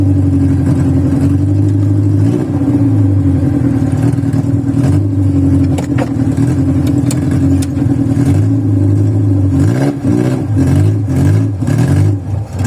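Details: VW Voyage cold start after sitting many days, worn old mechanical parts: uneven, lumpy idle with revs sagging and hunting, a clatter of cranking, then it catches again; rough idle and stalling.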